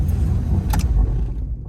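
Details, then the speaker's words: 1984 Pontiac Firebird at key-off: low uneven rumble continues about a second and a half then dies; slight dieseling run-on. "Oh, not much. See, we're on the same boat, man, because mine dieseled when I pulled up."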